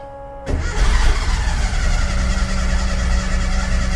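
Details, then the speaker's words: Porsche 914 2056cc on dual Weber carbs without a choke, during idle setup: catches and settles into a steady but slightly uneven idle with a faint ring on top. Mixture suspected lean; the idle screws will be turned a quarter turn each side. "I think that mixture's a little bit lean. Let's go and put some go-go juice on."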